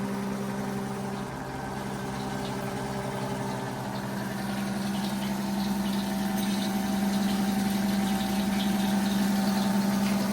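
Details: Rebuilt 90-year-old Gilbarco Model 80 (GMB 80) service station gas pump, running on diesel: even electric hum with a soft, steady pulse and no knocking or grinding; the pump motor runs smoothly.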